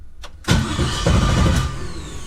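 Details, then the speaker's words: Quad-turbo S4 on a new lightweight Antigravity battery with built-in jump starter, starting at about 13 volts, replacing an old Optima red top: starter spins the engine briskly and evenly for about two seconds, strong fast healthy crank with no dragging. "Oh my gosh. This thing spins the engine so fast. I think my old battery is like really old, or this thing just cranks the engine really fast."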